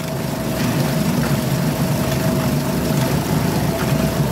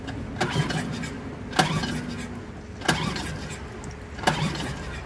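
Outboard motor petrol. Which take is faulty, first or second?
second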